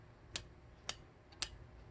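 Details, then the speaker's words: Low-cost 8-speed road bike, front chainring inner, rear on outermost sprocket, cranked slowly: three crisp light ticks about half a second apart as chain drops and brushes neighbouring cog's angled teeth; cross-chain rub, normal for setup. "예 이렇게 이렇게 툭하고 떨어질 때 이 옆쪽에 있는 코 그와 스치는 소리가 나요"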